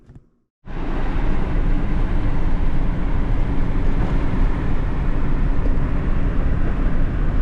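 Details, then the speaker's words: Ford Ranger 2.3 after full exhaust replacement, recorded in cabin on drive to heat the exhaust: steady low drone, no blowing or ticking; much quieter inside. "Tell you what, it's a night and day difference in how this thing runs and how quiet it is inside. It's almost like a new truck."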